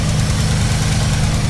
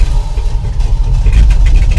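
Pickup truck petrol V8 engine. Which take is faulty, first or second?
first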